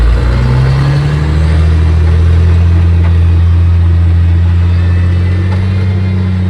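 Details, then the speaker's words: Haul truck; third gear and reverse slipped intermittently, now not pulling hard in any gear, even first and second; big diesel climbs to a loud steady high drone and holds under load without pulling; transmission slipping. "Now, it's not wanting to pull hard in any gear. Even first and second are slipping."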